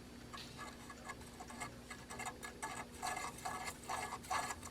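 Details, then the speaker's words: Astar DVD player, no disc: light uneven ticking and ratcheting about two clicks a second from the laser sled drive gear when spun, not the disc; sled stuck, suspected limit switch not made; laser sled gear clicking. "can hear when I spin that that's what the noise is so it's not the disk itself"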